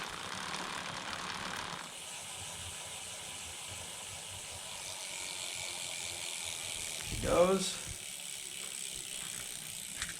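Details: DIY carbon fiber recumbent bike, chain in 11 rear and 39 front cog, recorded one hand length from the idler with chain keeper removed: soft, even hiss and faint ticking, much quieter than with keeper.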